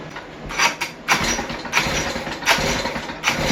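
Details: West Bend 580 two-stroke engine, which had sat for months, has a new starter cup, dogs and recoil spring. It catches in uneven bursts that sag between and never settle, so it won't idle. The owner suspects dirty reed valves but is unsure.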